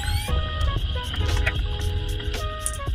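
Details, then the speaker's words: Toyota Previa chassis noise via electronic stethoscope: heavy low rumble with irregular knocks at steering rack, quieter at shock absorber; both rack and aged shocks confirmed noisy, shocks replaced with KYB first. "我们透过异音听诊器检测声音后，确认方向机总成以及避震器都有异音的产生。"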